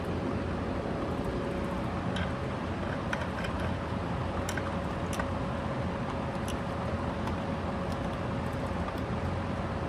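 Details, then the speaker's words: Curb-found Eureka Commercial upright vacuum, first run after a replacement power cord and a new motor fan replaced the grenaded original: smooth, even mid-pitched hum with no grinding or rattle. Normal running. "Motor actually sounds good so far. I'm not noticing anything bad."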